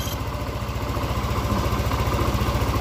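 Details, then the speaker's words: Yamaha NMAX scooter, after replacing a failed cam chain tensioner that had caused a rough clattering "klotok" noise: the engine idles smoothly with an even low pulse and no knocking. The faint airy hiss is from the intake hose, which is left off. Normal idle. "Nah benar sekali awan bunyi motor dan bunyi mesin langsung sangat-sangat halus tidak ada kendala apapun"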